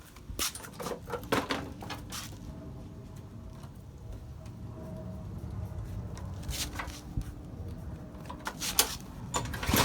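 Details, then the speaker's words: Old lawn mower that started then stalled, running after cleaning the float bowl bottom bolt's fuel channel holes (too little fuel was reaching the mixture); the engine keeps running but still surges, its note hunting up and down unevenly, likely needing more maintenance. "You can still hear it kind of surging, so it probably needs a lot more maintenance and stuff."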